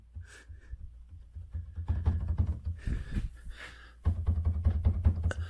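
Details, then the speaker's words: M45 front-end clunk: dull low clunks in uneven bursts as the front end is worked over bumps, from slightly loose, worn sway bar bushings (two bolts per side); the car also has an oil leak. "that my sway bar bushings are a little bit loose, and this is an easy job."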